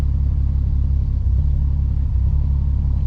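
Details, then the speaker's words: 1965 AMC Rambler American 440 driving, not run for a while: low rumble pulsing unevenly with dropouts, a big miss, running poorly; cause not pinned down. "So, man, she's running like poop. I don't know if you can hear that. Yeah, do you hear that little miss?"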